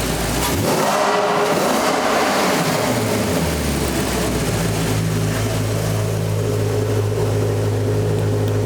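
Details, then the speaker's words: 2009 Maserati Quattroporte V8 after a mystery misfire, with all eight coil packs and spark plugs replaced: it fires up, flares briefly, then settles into an even, steady idle that sounds smoother, and the scan shows no misfires. "that sounds smoother let's plug it in come on then"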